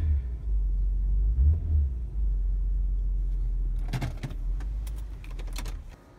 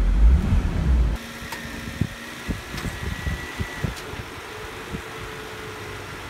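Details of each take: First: 2002 Nissan Maxima GLE after replacing broken front electric engine mount with new Marmon Ride Control unit: revved, deep even rumble, resonance way down, mount no longer bottoms out and bangs; engine runs super smooth. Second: 2002 Nissan Maxima GLE, in drive with brakes on, given a little gas: hard thump then knocks and droning body resonance as the broken front electric engine mount bottoms out and bangs.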